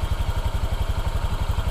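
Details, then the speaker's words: 2023 Honda Vario 125 scooter at idle with about five oil changes done: an even putter of around eleven beats a second, somewhat coarse but regular. The owner considers it standard, so this is a normal idle. "seperti itu Jadi nggak terlalu kasar banget lah masih standar Masih normal Kalau menurutku ya untuk sebuah motor apalagi motor matic kayak Vario kan jadi seperti itu ya"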